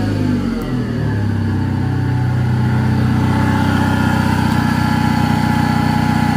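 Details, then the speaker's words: 2005+ Chevrolet Optra petrol engine that sat about 1.5 years, jump-started with the battery dead: it catches and settles to idle with a steady howl over the running sound, from a failing alternator bearing; an exhaust leak is also present. "So, that noise, the howling sound. I checked this already last week."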